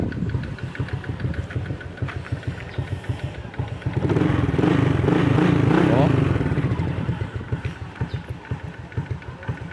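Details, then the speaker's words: Honda XRM 125 (RS) single-cylinder idle after valve clearance set to 0.05 mm: valve tick gone, but a light steady knock about three a second remains, swelling with a blip; attributed to small gear at primary/secondary clutch needing adjustment. "Yung lagutok na lang yan doon yan sa ano sa may primary sa secondary clutch yung maliit na gear. Kailangan mapihit yun"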